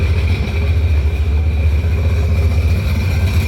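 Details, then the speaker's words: 2005 Sea-Doo GTX engine after being filled with water, running out of the water without hose: low, lumpy, uneven burble wobbling in loudness; rough running while it burns out water and oil. "hours she doesn't sound good"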